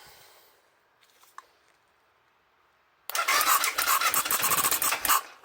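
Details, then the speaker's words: BMW F650GS single left standing five years, fuel pump and injector issues, started on carb cleaner; quiet a few seconds then fires suddenly and runs rough in uneven bursts three to four a second; fuel delivery suspected. "Okay, that's promising. So just needs a bit more."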